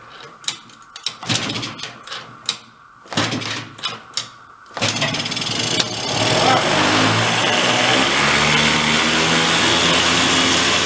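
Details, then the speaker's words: 2004 Yamaha Vino 50cc two-stroke scooter left partly disassembled in a barn for years: uneven kick-start attempts, then it catches into a buzzy, ragged rev with the air cleaner off. The owner suspects two-stroke oil has bogged it down and is revving to clear it. "I'm going to go rev It Up kind of like clear out I think it has a bunch of two-stroke oil bogged down in it"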